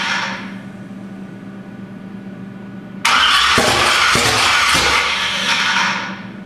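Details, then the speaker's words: 427 big-block Chevy on an engine run stand, not run in a long time, first cranking (initially without ignition; owner unsure the starter sounds happy): steady cranking, then uneven bursts that never settle into running; crank no-start, cause unconfirmed. "Well, I'm gonna crank it without ignition, see what happens. I don't know if that starter sounds as happy as I'd like it to, but everything sounds all right."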